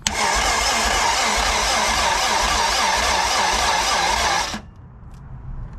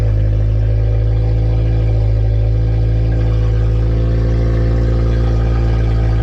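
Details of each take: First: K20-swapped Honda EF sedan, first start attempt, 35 psi fuel pressure: slow, laboured cranking about four turns a second that never catches, then stops; brand-new battery flat, battery fuse popped from a suspected short. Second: Honda EF sedan with K20 engine swap, first start (injectors were the earlier no-start problem), alternator charging being checked: loud, deep exhaust drone at steady, even idle, no knocks or misses; running cleanly on its own.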